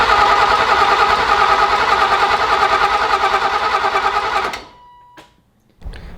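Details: 1984 BMW E30 318i turbo build, first start attempt with a loud fuel pump: steady, even cranking at about three beats a second that never fires; crank sensor plugged into the wrong connector.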